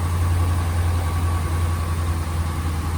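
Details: 2015 RAM 1500 5.7 Hemi, warm, after replacing broken exhaust header bolts: smooth even low rumble at idle, with no more of the cold-start ticking from the exhaust leak.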